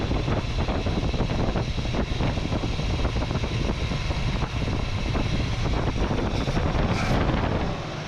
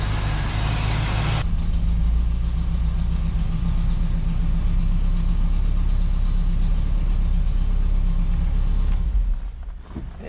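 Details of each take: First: 1967 Chevrolet Camaro V8 revived after six years of neglect, carburetor idle circuit cleaned after it idled on about four cylinders; now a steady, even low rumble, quiet through cheap turbo-style mufflers, no misses or knocks: normal idle. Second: 1967 Camaro V8 revived after six years of neglect, fuel line just replaced: loud, lumpy idle that keeps stumbling, running on only about four cylinders; owner suspects a dirty carburetor idle circuit and plans to pull the lid and clean it.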